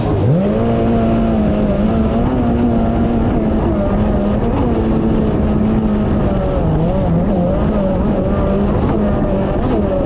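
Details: 2019 Yamaha GP1800R WaveRunner, supercharged 1.8L, test run on the water after supercharger clutch replacement, checking for oil leaks after hard runs: strong steady engine note holding an even pitch under load, no rattles or slipping; running normally.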